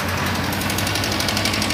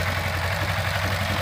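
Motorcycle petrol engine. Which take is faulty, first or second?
first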